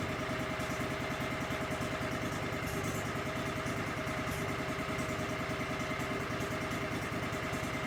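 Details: Cub Cadet 3205 hydro tractor after charge pump rebuild and reinstall: steady, even engine chug with a smooth hydraulic hum and no knocks or surging; hydro drive working, relief valves functioning.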